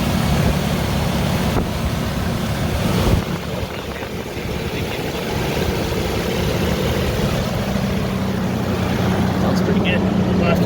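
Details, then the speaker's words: Ford Ranger after replacing a leaking timing chain tensioner, with the intake removed and refitted: steady even idle with light injector ticking, good oil pressure, no timing chain rattle or slap, nothing dropping into the pan; normal idle. "that sounds good at least you can hear the injectors clicking away but i don't hear no timing team rattle"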